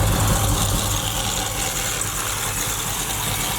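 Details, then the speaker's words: Supercharged Oldsmobile Cutlass warming up at idle after shop repairs and a fluid top-off, thermostat just opening: smooth steady low rumble with supercharger audible, no tapping or misfire. Normal idle. "Man, I'm telling you, it was some problem. I hear the supercharger too."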